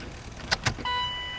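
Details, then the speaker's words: C4 Corvette, first key-on in over 12 years, after fitting a new Bosch OE fuel pump and hooking up the battery. A couple of relay clicks, then a steady high electric whir holds. The fuel pump is priming normally. "i can't hear the fuel pump the fuel pump is coming on it's a good thing"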